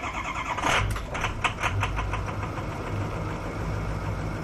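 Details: 2006 Ford 6.0L Powerstroke diesel (Coach & Equipment) with a hard start. It cranks long, catches, surges, then settles into an uneven idle with heavy smoke; cause not evident.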